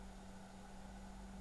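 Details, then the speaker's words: Opus BT-C3100 v2.2 charger discharging at 1 A, stock cooling fan just switched on: steady low hum with soft airy whir at low speed, no rattle; the fan runs a bit louder when the charger is flipped over. "невеличкі Так коли ми перевертаємо зарядний пристрій вентилятор починає працювати трошки голосніше"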